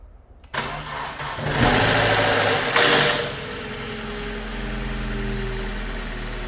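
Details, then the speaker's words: BMW 1 Series first start after a budget engine rebuild with new valve stem seals: catches after a short crank and flares with a brief metallic rattle that fades as it settles to idle; VANOS units not yet primed with oil. "In the last clip that you saw, the car was rattling a little bit because the vanos were without oil and everything."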